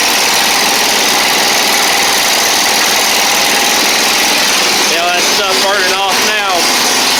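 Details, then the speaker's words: Toro Z Master with Kohler Command twin after repair for running on one cylinder: steady even twin-cylinder idle with bright hiss, no stumble, exhaust smoking off residue; both cylinders firing normally. "uh this should run a lot better now should let me put that up it may take a second for that other cylinder to come back in though depending on how bad it is"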